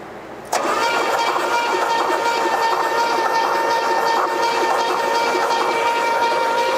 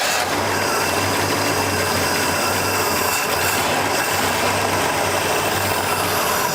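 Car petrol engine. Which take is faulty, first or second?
second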